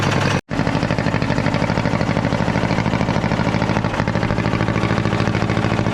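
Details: Caterpillar D8 2U crawler main engine after its first start, revived after work on its pilot (pony) motor: brief cutout, then settles into a steady, even chug firing regularly with no knocks or misses; motor sounds fantastic, normal running.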